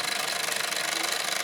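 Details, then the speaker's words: Mamod SE2a model steam engine running again after 40 years: fast, steady chuffing around sixteen beats a second under loud hissing steam, even rhythm; normal running. "It's amazing. The engine is running again. That is extraordinary."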